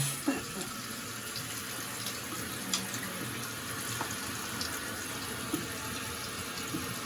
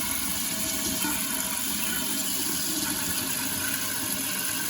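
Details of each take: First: Toilet tank refilling right after replacing the fill valve and flapper with new parts and turning the water back on. A steady even rush of water with no hiss changes or gurgles; normal refill. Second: Running toilet that refills in short spurts by itself (phantom flushing), before repair. A constant hiss of water trickling into the tank without stopping; suspected worn flapper leaking into the bowl.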